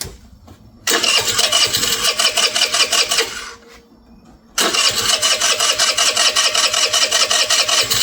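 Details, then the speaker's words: MVP 49cc Chinese scooter: buzzy engine catches after a brief stumble, dips, then rises into a steady rapid high-pitched buzz, running and revving, spinning the rear tire. "So, it obviously runs. Doing a burnout here with the back tire."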